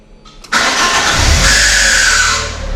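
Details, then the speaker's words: 2009 Ford KA salvage car: brief rough crank catches, then a scraping whine hangs over the fresh idle; starter motor failing and needs replacing. "the only other thing i've noticed on this is when you start it it sounds like the starter motor needs replacing"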